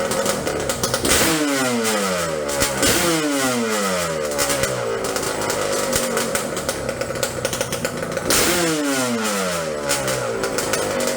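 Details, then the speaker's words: Yamaha Banshee two-stroke twin drag quad on cheap knockoff Keihin 38mm PWK carbs, main drilled to 0.125 in: crisp, slightly uneven burble holding steady with quick blips; proper idle. "and then here's what a proper idol sounds like to my knowledge. I'll just say it like that."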